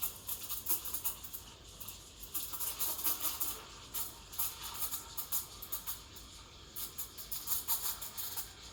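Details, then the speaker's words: Breville Dual Boiler BES920 steam wand frothing milk, with wand and jug angled and tip near the surface: quick repeated hissing and chirping bursts as air is drawn in, a normal milk-stretching sound, stopped around 60°C. "putting the wand at an angle, the jug at an angle, the wand close to the edge, sort of spinning the milk, and keeping the tip close to the surface so that it aerates the milk as it spins. You want to listen as well, you want to hear that hissing sound."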